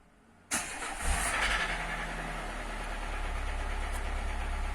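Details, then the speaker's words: 2012 Renault Symbol/Logan 1.4 cranks and settles to a rough idle with a dull, uneven knock from worn connecting rod bearings; oil light stays off. Engine must come out for crankshaft regrinding and new bearings. "ولهنايا قربيعة تاع موتور في البروكا. لهنا قربيعة في البروكا جاتو كلها على بعضها مسكين."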